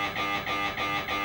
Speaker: c'est normal et ça arrivera plusieurs fois pendant l'examen entrecoupé de temps de silence